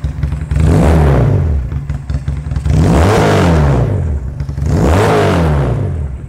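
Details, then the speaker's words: Magnum 250 Chinese bobber motorcycle, 250cc twin with 360-degree firing, free-revved from idle. Three clean blips about two seconds apart with a deep, throaty rise and fall, sounds like a big bike, no misfire, healthy. "it sounds like a big bike so every time you you bring this on the street they they're going to ask you how much cc is it"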